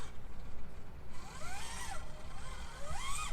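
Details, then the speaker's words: Traxxas TRX-4M RC crawler with metal gear transmission, metal drivetrain gears and new Injora diamond portal axles, crawling over rocks: whirring gear whine rising and falling with motor speed; exact source unclear, likely combined gears. "getting a lot of gear noise from this this has the Metal Gear transmission and Metal Gears throughout here it's difficult to say where the root cause of that noise is"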